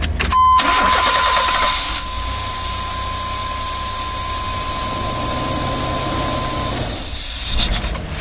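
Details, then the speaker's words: GMC Safari/Chevrolet Astro van after ignition control module replacement: brief crank, quick catch, strong even run with a steady whine; starts and runs. "all right so it runs that's that's good we don't know if it runs like crap yet sounds like it sounded pretty strong"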